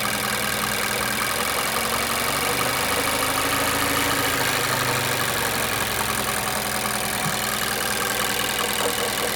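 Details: 2017 Mazda 6, Skyactiv 2.5, 78k mileage: steady idle with a light, uneven knocking of roughly two to three beats a second, present at idle and in drive. The cause is unknown.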